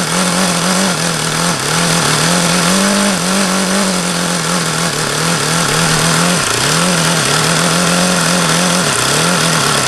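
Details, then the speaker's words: Used HP VT 21 rotary-valve four-stroke model engine: loud buzzing run sagging and recovering every second or so, won't idle below about 4,500 rpm, still rich on the low end despite leaning the low-speed needle and changing plugs. "this one just doesn't make any goddamn sense at all as to why it won't idle down and why it sounds like no matter how much I lean that low speed out it doesn't change it always sounds crappy it won't idle below maybe 4500"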